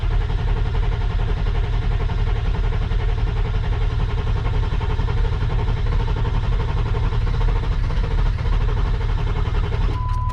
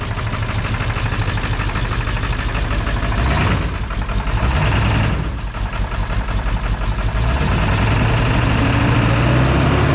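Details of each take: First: Ford 7.3 Powerstroke diesel after turbo rebuild, new injectors, glow plugs and wiring, first start attempt: steady laboured cranking with ether sprayed into the intake, nearly catching but not running; fuel primed, fuel supply not suspected. Cranks but no start. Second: Ford 7.3 Powerstroke diesel, restarted after refueling following a turbo rebuild, new injectors, glow plugs and wiring: steady, even diesel clatter at idle with a smooth low rumble and no misses or knocks; sounds normal, with a boost leak still to fix.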